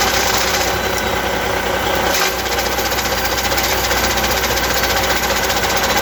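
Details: Truck diesel running steady with an Eaton Easy Pedal Advantage clutch: irregular rattling chatter about two or three a second; abnormal clutch noise, cause unclear.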